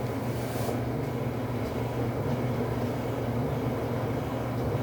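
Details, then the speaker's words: Samsung dryer after replacing flat-spotted drum support rollers and shafts (DC97-16782A) that caused loud thumping: drum turns with a steady, even low rumble, no thumping; new rollers may run slightly louder until their shaft coating wears in. "the dryer will begin to settle in and become and become quieter in this operation but the primary problemless allowed thumping sound which has been addressed"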